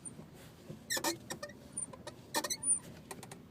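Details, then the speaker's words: 2005 Honda Accord: irregular squeaky chirps and light clicks each time the clutch pedal is pressed and released during gear changes; cause undiagnosed. "i'm just releasing the paddle of the clutch and here is the sound comes so every time i change the gear like whenever i change the gear by pressing the class it all the time it makes this"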